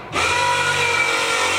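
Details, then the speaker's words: V8-swapped Mazda RX7 fuel system being primed: an electric fuel pump gives a sudden loud steady hum with a high whine, no surging or rattle; normal priming, pump louder on recordings than in person. "that pump is freaking loud though was watching some of the videos on it earlier and that pump is really loud but it's not that loud in person"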